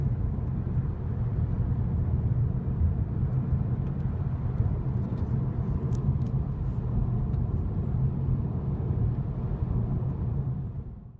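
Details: Audi A4 B8 driving at speed after front right wheel bearing replacement: steady low road rumble, even and free of any hum or growl, normal wheel bearing sound.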